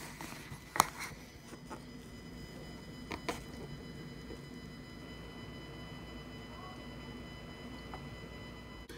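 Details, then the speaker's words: Behringer Xenyx Q1202USB mixer connected by USB with a computer loopback, heard in the headphones: a thin steady high whine with fixed tones over hiss; digital ground loop noise, later fixed with a USB isolator and powered hub. "you end up getting a digital feedback sound and that sounds really stinking annoying"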